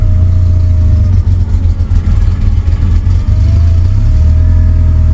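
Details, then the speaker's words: Suzuki Samurai with Holley Sniper EFI conversion and loud body-mounted fuel pump, just after starting: ragged stumbling run settling to steadier idle with faint pump whine while EFI self-learns; rough running after start. "started right up almost it's the sniper he ain't figured out what wants to be yet you have to crank it a little bit longer"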